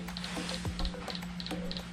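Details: Shimano Di2 electronic rear derailleur: sharp double clicks about three times a second over a low hum; suspected stripped servo gears or loose screws, no parts sold so the derailleur is replaced with a new one.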